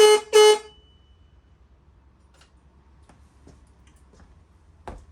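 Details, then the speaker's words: Cheap VW-style aftermarket horn newly bracket-mounted on a Shovelhead motorcycle: two short honks with a thin, odd tone, not like a normal VW horn, same as when first tried; owner suspects it is defective. "it still sounds weird uh it doesn't sound like a normal VW horn and that's the way it sounded when I first tried it"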